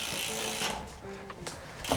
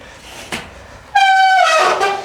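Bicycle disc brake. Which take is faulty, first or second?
second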